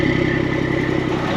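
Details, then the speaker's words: ERF truck with Eaton gearbox after clutch adjustment: steady, even diesel beat with firm low thump, no knocks or misses; healthy running, clutch feedback better; silencer pipe not yet fitted. "sound even better when I get that bit of pipe in the in the silencer box to make it little bit louder got to love that noise"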